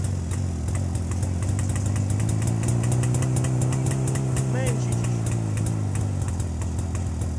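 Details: Jawa 350 two-stroke idling with a rebuilt electronic ignition circuit replacing the cam/points system, carburettor already set: soft steady putter, even exhaust pops, no misfire. Normal idle.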